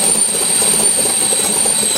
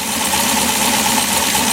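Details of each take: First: LS7 S10 cold start at about 50°F, idling low around 500 rpm with the idle air control wide open, giving a high steady whistle; owner thinks throttle blades are too tight until warm. Cause suspected, not confirmed. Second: V8 LS7 swap in an S10 with new idle air log intake, warm idle after cold start at about 50°F: steady even idle, whistle noise gone, idle air control now controlling idle; normal warm idle.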